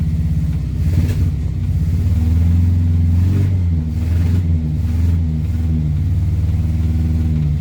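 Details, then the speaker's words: Morris Minor 4-door after new ignition barrel, with choke: low wavering lumpy idle; engine runs but missing, owner suspects points and plugs need cleaning; ignition light on as regulator stuck. "Oh, it does run even though it's missing."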